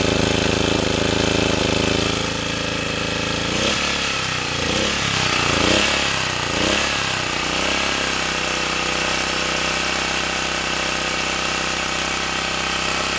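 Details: Sportsman 2000-watt generator after tuning and adding a governor damping spring, loaded by a space heater at 750 and 1500 watts; even drone holding speed with no surging or cycling; governor now steady under load.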